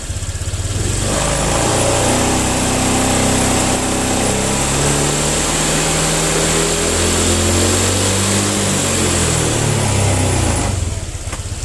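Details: Honda Vario scooter after parts were cleaned and refitted to cure delayed throttle response; engine climbs and drops cleanly through several quick revs, pitch following the throttle without hesitation; healthy response.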